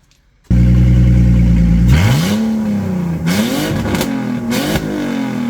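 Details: BMW E46 330ci revived after 6 years abandoned, MAF, idle control valve and radiator replaced, broken hose reconnected with tubing: steady even idle, clean rises and falls in revs, no stumble, knock or rattle; normal revving.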